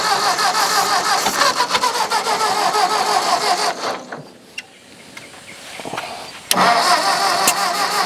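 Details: Old Ford farm tractor, possibly an 8N, cranking steadily at about three turns a second with starting fluid but never catching; crank no start.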